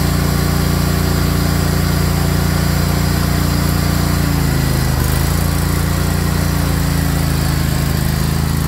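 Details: Craftsman GT riding mower (model 917.258873) with 18.5 hp Kohler CV18S 624cc V-twin, after carburetor replacement (long a hard starter), air filter off, jumper pack on low battery: steady, even beat with smooth low rumble, no misses or surging; normal running.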